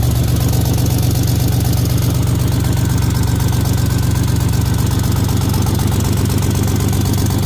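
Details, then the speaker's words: 1984 Buick Grand National on E85 after fitting 3-inch Pypes catback to a 3-inch downpipe with open cutout, no cat; steady idle with loud raspy open-pipe pulse about four per second, sounds leaky but no leaks felt at clamps; normal cutout tone. "sound like I got an exhaust leak, but I guess that's what the cutout pipe sound makes it sound like. I'm assuming, but when I stick my hand around all the clamps, I don't feel any exhaust leaks whatsoever, and there's not any smoke leaking from anywhere."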